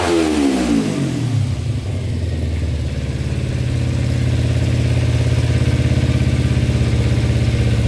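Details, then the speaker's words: Cheap non-running Kawasaki Ninja sport bike after sitting, oil level good, choke fully off: revs up briefly then settles into a steady even mid-pitched run, no misses or knocks; normal revving. "So everything officially works on it. Wow, that sounds really good. Choke is all the way off."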